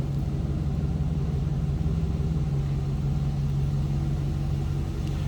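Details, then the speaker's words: 2005 Chevrolet SSR, 6.0L V8, no warning lights, heard from the rear at the exhaust: deep, steady burble, even low rumble with no misses, ticks or knocks; healthy idle, sounds as it should. "Slip around to the back so you can hear this run. Nice sounding, as it should."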